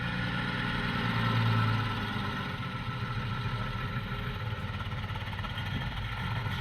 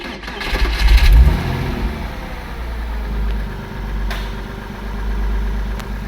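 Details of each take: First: Porsche 986 Boxster at idle before engine removal for IMS bearing replacement: engine idles unevenly, low rumble lumpy and irregular, misfiring; fuel starvation or other cause suspected, not confirmed. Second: Porsche 986 Boxster after IMS bearing replacement and other parts, battery old and due for replacement, no engine light: quick crank and catch, a brief rev flare, then a smooth, steady low idle with no misses; runs much smoother than before.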